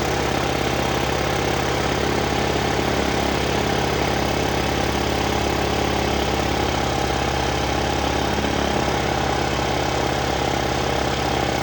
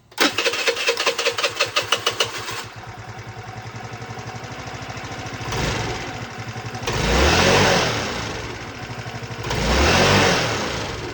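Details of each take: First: 2006 Volano scooter, long unused, first start after refitting and priming the roughly adjusted carburetor: small engine runs at a fast, steady raised idle that won't settle; throttle cable set too far open, idle needs adjusting. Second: 2006 Volano scooter that had sat for a while, after throttle cable adjustment, valves not yet adjusted, float needle suspect: quick crank catches, settles to a steady even idle, two clean throttle blips rise and fall smoothly; normal idle.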